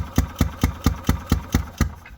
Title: ⛳️ 2018 Ezgo Golf Cart Running Rough/Valve Adjustment